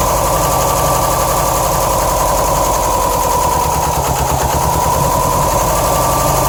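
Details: 2007 Subaru STI flat-four rough idle: uneven, stumbling low pulsing; passenger-side AVCS check-screw filter shredded, likely blocking the solenoid and starving cylinders 1 and 3 of oil for a couple hundred miles; issues remain.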